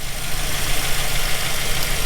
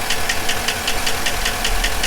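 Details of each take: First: 2007 Chevy Silverado 1500 5.3 V8 just restarted after replacing a failed lifter on cylinder 4 (P0304/P0300 misfire): steady, even low idle rumble with no tapping or knocking, smoothing out as it warms and lifters pump up. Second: 2007 Chevy Silverado 1500 5.3 with cylinder deactivation (DOD), codes P0304 and P0300: sharp even tick about five per second over rough idle, cylinder 4 straight misfire; collapsed lifter condemned, compression test next.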